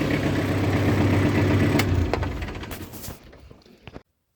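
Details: Kubota L4200 diesel tractor, back in service after new ignition, radiator overflow hose, front hub seal and fresh oils, runs steady and even at a low chug, then winds down and stops; sounds healthy, no knocks, slight smoke noted: normal running.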